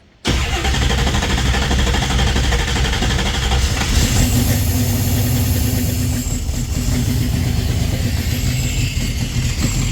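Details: 1967 Chevy Nova small-block Chevy with FiTech EFI, after cleaning stuck fuel injectors, cold start: V8 cranks, catches at once and settles into a steady, even idle with no stumble or misfire; normal start and idle.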